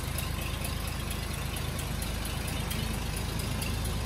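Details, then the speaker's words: Daimler limousine petrol engine, first run in 32 years since 1990, carb not leaking, running off its own tank: steady low idle with even beat, no knocks or misses; idling smoothly, slight condensation in exhaust. "But I now have a somewhat operable old limousine. That's just idling all on its own now, running off of the tank."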